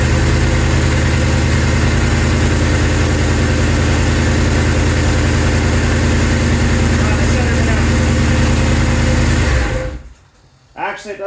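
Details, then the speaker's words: Third-gen Camaro Z28 small-block V8 idling with a steady, quick low pulse and slightly raspy edge just after finally starting a long-neglected car; sounds like an exhaust leak, suspected, not confirmed. "sound too bad it sounds like it's got an exhaust leak on it"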